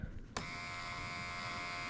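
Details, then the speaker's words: Driver's door window motor, which would not roll the window down, tested with door panel off: sharp click then a steady, coarse, raspy electric buzz, confirming the failing window motor as the fault. "we got a little motor here oh yeah hear it she was not happy with life"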